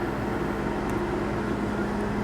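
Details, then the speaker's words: Window AC unit seasonally installed in a 2019 Casita Freedom Deluxe fiberglass RV, switched on low cool, heard from inside before going outside: steady even fan rush with constant low hum, no rattles or cycling; running normally. "I'm going to turn the AC on low cool okay now let me go outside now so you can hear it that's inside"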